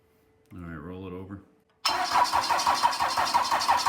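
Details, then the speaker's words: Cummins 4BT diesel, second start attempt on a charged battery: steady cranking about three beats a second with no catch; the injectors may need bleeding. "obviously the oil started to flow and we did start to to get some combustion out of it I can smell it and you could hear it start in the hip but obviously"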